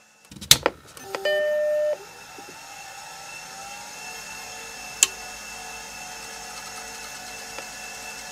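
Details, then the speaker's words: Suspect hard drive from a Mac Classic-era machine, on second power-up after earlier spin-down: startup chime then steady high whine, stays spinning; owner suspects gummed-up bearings freed with activity. "on the second powerup I wanted to demonstrate that was being up and down but it actually stayed spinning so maybe it's working now"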